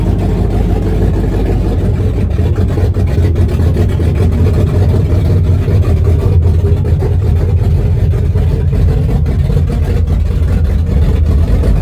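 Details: 1974 Chrysler Newport with a slightly tuned 440 V8, first start after a rebuild with new bearings, open headers, phone-recorded: a deep loud steady rumble with open-header bark, even firing and no knocks; healthy.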